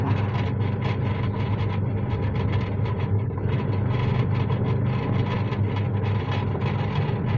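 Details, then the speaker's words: Washing machine after repair, now working; motor checked and fault not in motor: steady even low hum, no knocking, grinding or surging, motor runs smoothly. "Berarti ini bukan dari mesinnya, mesinnya masih bagus sebenarnya. Ini mesinnya udah saya cek ya. Suara mesinnya masih halus."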